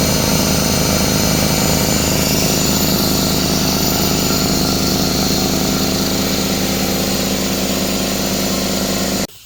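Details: Craftsman 33-gallon air compressor, after repairs (piston, seal, belt, pressure switch leak): steady fast pumping chug holding evenly about nine seconds before shutting off; filling normally.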